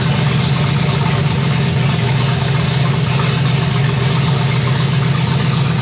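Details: 1965 Chevy Nova wagon with a 327 small block on an Edelbrock Performer RPM Air-Gap intake, first fire: a loud, deep, steady idle through open pipes with no misses or knocks. Oil pressure is 30 lb and water 180°F. Normal idle.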